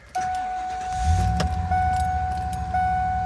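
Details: 1997 Ford E-150 Econoline van, 5.4L Triton V8, after oil pressure sender replacement: engine cranks and catches to a steady, even idle with no metallic clatter, keys jingling over it; sounds healthy.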